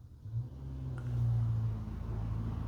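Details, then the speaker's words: 1997 Jeep Grand Cherokee ZJ 5.2L V8 after new head gaskets, resurfaced heads, new pushrods and spark plugs. The starter turns the engine steadily with fuel primed, but it never fires: crank, no start. "Oh god. H starter's going. I know we have fuel. No crank. No start."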